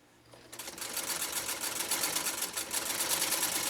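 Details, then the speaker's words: Singer 192K Spartan sewing machine with a 0.80 amp motor, sewing two layers of acrylic fiber. Fast, even needle clatter; the motor labours harder than on leather. Normal operation under heavy load. "the machine you can hear is working harder when it's sewing the acrylic fiber than when it's sewing leather"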